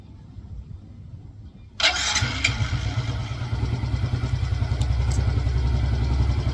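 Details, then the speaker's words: Yamaha Mio i125 M3 scooter just after replacing the transmission slider pieces (Sun Racing) to cure a loud rattle from the transmission side. Steady even idle with no metallic rattle; the noise seems gone, owner will keep observing. "So ayun, tingin ko nawala naman na. Observe ko na lang din, pero usually yun na naman talaga yun."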